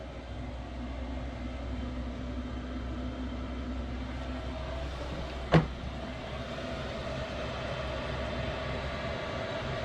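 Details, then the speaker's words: Diesel heater installed in a 1999 Bluebird TC/2000 skoolie conversion, tested after being secured in place: steady low hum running evenly, broken only by one sharp click midway; running normally. "That sounds like it'll work, and I'll be back in a second. That definitely works."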